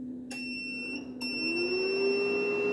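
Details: 3 kW inverter beeping nonstop with no error shown, not muted, output working and battery at 26.9 V; steady high beep with rising hum at power-up, unchanged after opening and cleaning the board.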